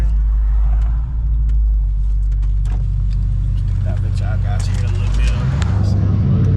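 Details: Car driving after muffler hose fixed to cure exhaust leaks: deep, even exhaust rumble with no ticking or puffing from leaks; normal running.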